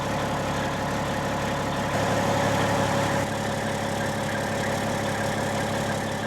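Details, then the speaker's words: 1995 Western Star with Cat 3406E diesel idling before exhaust replacement: raspy, uneven chuff instead of smooth low rumble, louder than normal, from holes in the crumbling exhaust. "here's what the truck like sounds like currently with the holes in the exhaust like it's not bad it's louder than without any hold but it's not a you know it's not a smooth low rumble um you can tell it just sounds a little off"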